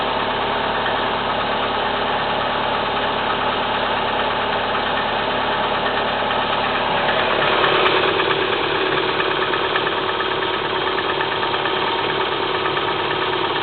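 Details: Kia Spectra 1.6 petrol engine knocking at cold idle: a regular ticking knock about three per second runs steadily over the engine note, cause unknown.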